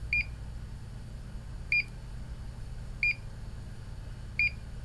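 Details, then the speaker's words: Homemade bleeping diode tester on a multimeter: short, high-pitched bleeps about every one and a half seconds, a different tone than for a short or silicon diode, marking a Schottky junction. "So short, continuous bleep, diode, so one quick bleep on the same frequency as the one for short, continuous blip, and the Schottky, which is a different frequency, and the noise reduction doesn't seem to affect this so much."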